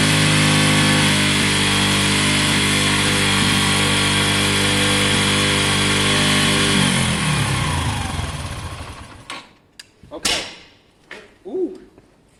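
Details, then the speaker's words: Wk RT 125 single-cylinder motorcycle after long running on choke: fast buzzy high idle for several seconds, then winds down and stops; idle set too high. "I see what's that noise we had to choke on so long it would have just been spitting out the last bit of fuel"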